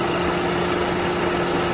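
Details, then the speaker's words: Mercedes C180 Kompressor petrol, idling with P0102 airflow meter fault codes: steady airy hiss of a vacuum leak near the engine. The airflow meter itself was fine; electrical cleaner spray used to locate the leak. "okay so when I start to inspect the engine then if you can hear this sort of vacuum leak coming from somewhere around here"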